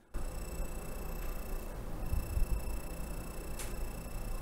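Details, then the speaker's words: Acer Predator Triton 500 SE laptop, i7: thin, steady high-pitched whine over low rumble from the vent side, where the cooling fan appears to be failing; in for fan replacement. "there's ventilation there's a fan in there and the fan seems to be failing"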